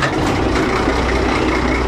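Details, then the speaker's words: Old Case tractor used as a mower, big engine idling after starting; steady even low chug, no knocks or misses, doesn't smoke even cold; healthy motor with good compression. "does starting here sounds nice you know having a big motor it's a lot nicer than having a small motor"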